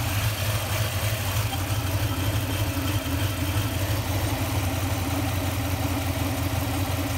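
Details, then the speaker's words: Toyota Tundra at idle during fuel pressure test via banjo bolt adapter, camshaft sensor left unplugged (P0340): steady low idle rising and falling in slow uneven hunt, about three pulses a second; owner suspects fluctuating fuel pressure causes the surging. "that could be indicative of something though if i'm getting that the fuel pressure is kind of kicking around maybe that's why i'm getting that broom broom"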